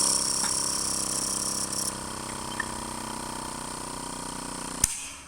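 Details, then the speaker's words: Electric pneumatic pump for active headrest and vacuum system, steady high-pitched motor hum for nearly five seconds, then a sharp click as the pressure switch cuts motor current and it fades; normal pump cut-off at pressure. "Il a un interrupteur qui coupe le courant du moteur électrique."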